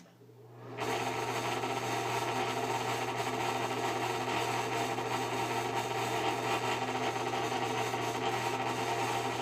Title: Bad bearings on this exhaust fan